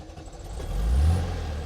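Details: VW Beetle started cold with foot to the floor: short crank, then the engine catches and swells into a steady, even low rumble; clean cold start with no stumble.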